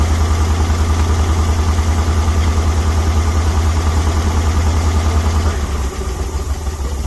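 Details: 1961 Dodge C800 truck's V8 revived after years sitting, running on gas mixed with ATF and Marvel Mystery Oil, smoking and using fuel fast: deep, lumpy idle with an uneven beat about three per second, rough from an air leak they plan to fix.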